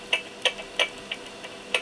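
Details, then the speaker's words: Yaesu FT-7800 transceiver on transmit, bench test after fixing the mic capsule connection: the earlier noise is gone but a different noise shows on the scope, suspected from the mic ground wire; sharp irregular crackling clicks over quiet hiss. "it sounds a little bit different and it uh and it is different on our scope so that is not the noise we had before"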